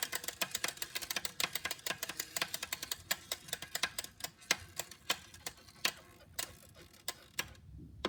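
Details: CycleOps Hammer trainer, heavily used for three months: a new hollow ticking rattle appeared after a Zwift session with sprints; sharp ticks come quickly at first and slow as the flywheel spins down.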